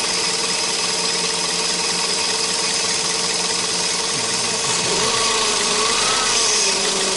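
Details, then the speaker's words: 2005 Toyota Spasio, 166k km, warm, bonnet open, gently revved; thin high whine from the engine front, not the timing chain, shifting slightly with revs. Worn alternator bearing, not critical yet; at worst charging and air-conditioning would be lost. "Не ну толь что я тебе могу сказать это звук не критичный то есть я думал может быть что-то с цепью"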